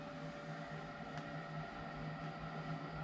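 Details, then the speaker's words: Full-size residential gas furnace powered by Bluetti EB3A power station: steady low motor hum with light whir, no rattles or scraping; induced draft motor running normally, about 126 W drawn. "okay the induced draft motor is starting hopefully you can hear that let's see what it's pulling over here"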